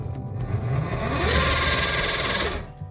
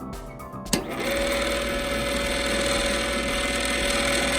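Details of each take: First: Theater popcorn machine stirrer motor after hundreds of uses: labouring hum with a gritty grinding note that sags and wavers; gearbox gears mostly locked up, butter and oil suspected of gumming the motor. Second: Popcorn machine stirrer gearbox and motor, after cleaning gears and relubricating with gear oil or lithium, runs with a steady, even hum and no grinding; previously slow, grinding and struggling.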